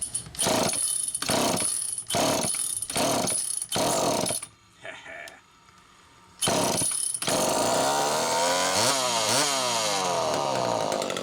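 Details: Super EZ Automatic chainsaw, cleaned out and on its second test run after a fault was found by hand inspection: snaps up crisply in repeated throttle bursts, then pulls steadily through the cut without bogging; normal, clean, strong running.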